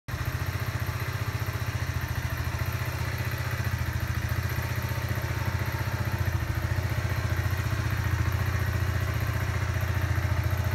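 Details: Kawasaki Z125 Pro four-stroke single, three weeks old with just over 100 miles, at warm idle: a light, fairly quick tick a few times per second that starts once the bike is warm. Owner unsure if normal, cause unknown.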